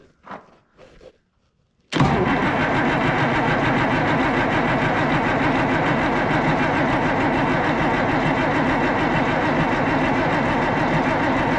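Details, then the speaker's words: Oliver 1800 diesel tractor after Stanadyne (Roosa-Master) injection pump repair and refit: long steady cranking after solenoid click, even rhythm, no firing; injector line fittings left loose for bleeding, pump not yet full, no start until fuel system is bled. "Give that starter a break. She's not full yet, and there's not fuel dripping from the lines."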